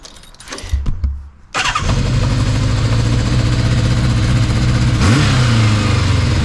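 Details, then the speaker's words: 1981 Kawasaki GPz550 D1 after carb clean: engine idles with a puffing, blowing exhaust leak (pipe may need welding) and revs hang after a blip, blamed on throttle cable linkage adjustment. "yeah you can hear it blowing can't you I think he's hanging onto the revs a bit"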